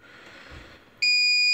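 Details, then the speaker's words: APC XS 1300 UPS with new replacement battery tested at full 24 V, about 60 W load: on mains cut a shrill half-second beep as fans spin down; it fails to hold load on battery, cause not yet found. "so now we'll kill the power see what she does see that thing is not happy you heard the heard the fans spin down"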